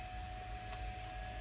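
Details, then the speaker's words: 1992 Olivetti M4-40 (486, 25 MHz) powered up with a hard disk connected after the power supply tested good: soft steady whine and airy hiss of the drive spinning up, some beeping, no clicks or scraping; normal spin-up. "let's hope that is good enough and let's just turn it on hard disk spinning some beeping over here"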